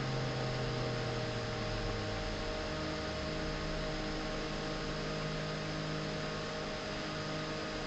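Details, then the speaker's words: Original unmodified G5 CPU fan running at 3,000 rpm: a steady, loud whirring hum with a constant tone and airy hiss, described as pretty intrusive. Loud fan noise. "So that's G5 pan unmodified noise at 3,000 revs. Pretty intrusive."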